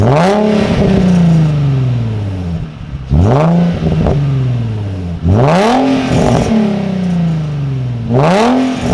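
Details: Nissan 350Z V6 with new Cobra non-resonated exhaust and TP34 tips, camera just behind the car: deep rumble rising sharply on four throttle blips over a steady idle and falling back smoothly; normal healthy exhaust note.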